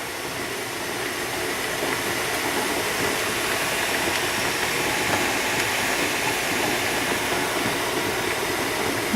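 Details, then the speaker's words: Presto pressure canner with pulled pork jars, lid locked, heating up: soft steady hiss slowly building as boiling starts inside and steam begins spitting from the vent; normal before pressurizing. "okay so the boiling started inside it's just starting to spit out the top of it"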